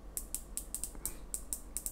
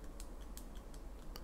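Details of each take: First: Steeldive 1970 (NH35A) dive watch, 120-click unidirectional ceramic bezel turned: crisp sharp high-pitched ticks, about four a second in uneven groups, stiff with much resistance; normal healthy ratchet click. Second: Steeldive 1970 (NH35A) dive watch bezel rocked by hand: faint irregular light clicks from excessive up-and-down play on the rotating bezel; maker called it acceptable tolerance.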